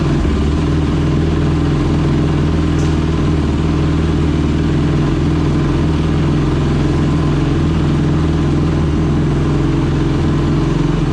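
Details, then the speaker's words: Honda TRX 450ER single-cylinder engine after rebuild, first fire-up with new fuel line, carburetor o-rings leaking fuel: constant, even drone at steady speed with no knocks or misses; healthy running. "so all right that sounded good we're leaking a lot of gas here so i need to get some o-rings for that"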